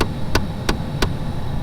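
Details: 2011 Mustang Shelby GT500: sharp clicks about three a second over fan hum when the defroster vent is selected, a failing HVAC blend door actuator behind the dash, fixed by replacement.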